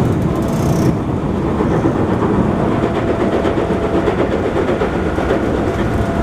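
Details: JR 221-series Yamatoji Rapid train car with field-added excitation control (top speed 120 km/h), recorded between Oji and Kyuhoji; fast, steady rail roar and joint clicks over a faint repeating thump per wheel turn, from a wheel flat.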